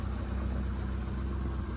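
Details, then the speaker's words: 1995 BMW E34 Touring, 5-speed, M50 engine being pulled for an S52 swap: smooth, even low idle with a steady beat and no knocks or misses. Still a healthy running M50. "still a good healthy running M50"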